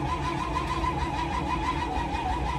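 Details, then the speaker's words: Broken-down truck "Mater", cranked on a hot day with a possibly weak battery: steady, even starter cranking at a regular pace that acts like it wants to fire but never catches; crank-no-start. "acts like it wants to fire."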